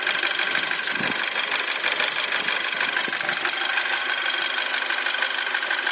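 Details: 2007 Audi A4 at cold idle: sharp high chirping about three times a second over a hissy idle; squeak disappears once engine reaches proper temperature, cause unclear.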